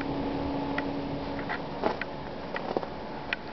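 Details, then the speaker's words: Daikin FTXS 18,000 BTU mini-split heat pump outdoor unit heating in full operation mode, indoor setpoint about 20°, recorded a foot away: very quiet, steady fan hum with a faint low tone and light clicks. Normal running. "This is the unit here running. So it's in full operation mode, and you can barely hear it. We're standing a foot away from it right now. That's as loud as it gets."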